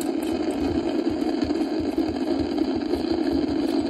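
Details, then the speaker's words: Icom IC-746 Pro transceiver: steady rushing hiss with faint low pulsing and no signal, S-meter stuck at full, squelch has no effect, even with antenna removed; intermittent (about 10% of the time) receiver noise, cause unknown (dirty DC, voltage or bad components suspected). "take it right off it doesn't make a difference there's still all that noise pretty weird huh"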